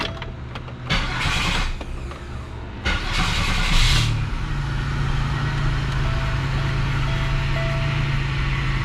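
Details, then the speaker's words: GM Grand Prix, first start after a starter replacement: rough, harsh cranking for about three seconds, then catches and settles to a steady idle; the starter sounds atrocious but works; old starter teeth were ground, suspected play issue needing adjustment. "sounds like a champ that starter sounds atrocious but guess what it works"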